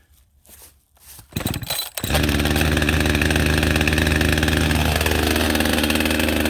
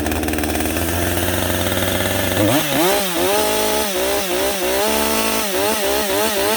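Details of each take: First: Husqvarna 562XP AutoTune chainsaw restarted warm, choke off, at high idle, with the air filter severely restricted by duct tape to test AutoTune compensation: after a few pulls a steady buzzing high idle sags slightly in pitch. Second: Husqvarna 562XP AutoTune chainsaw with a clean air filter running normally: high rasping engine stutters off the rev limiter, dips, then settles into a clean steady scream after a rip cut let AutoTune adjust.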